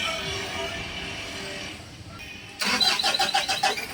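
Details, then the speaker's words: Mitsubishi Adventure diesel cranking after the fuel filter was primed: uneven, labouring pulses that struggle to catch, a hard start from air trapped in the injection pump or its line; the pump is slow to firm up when primed. "Alam niyo mga boss yung ganitong reakson ng makina merong hangin yan dito sa injection pump o kaya dito sa linya niya na hindi matanggal-tanggal."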